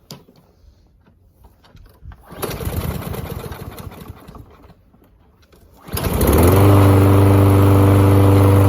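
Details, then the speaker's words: Lawn mower that only ran on starting fluid, suspected gummed carburetor after sitting, after carb cleaning: pulls over and catches into a steady, even single-cylinder drone without misses or surging; normal running. "Well, I would say that is a successful carb cleaning job."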